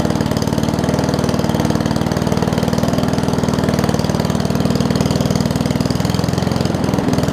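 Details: Murray push mower with Briggs Classic engine after gas tank swap and oil top-off; owner thinks governor spring is missing: low, slightly uneven idle about four beats a second, sagging rather than holding governed speed.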